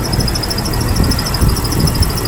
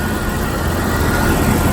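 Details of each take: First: 1998 Jeep Wrangler TJ idling: rapid, regular high-pitched chirping squeak about six a second, remaining with the belt removed; traced to a dry distributor assembly, which needs replacing, with a temporary fix available. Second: 1998 Jeep Wrangler TJ after lubricating the distributor assembly as a temporary fix for an engine squeak: steady even idle, smooth low rumble, squeak completely gone; distributor replacement is the real fix.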